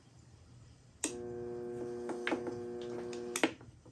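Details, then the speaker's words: Homemade light-duty spot welder on mains power, reversed momentary switch released to energize: a click, about two seconds of steady, even electrical buzz, then a click as it stops; normal transformer hum. "Can you hear? Can you hear it humming? That's fine."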